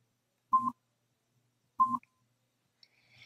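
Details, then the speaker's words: Nano BTE4 hearing aid: two short beeps about a second apart, one per quick press of the upper button raising volume a level (levels 1 to 10); three beeps mark maximum. "You'll hear one beep every time the volume is increased. You'll hear three beeps when the maximum volume is reached."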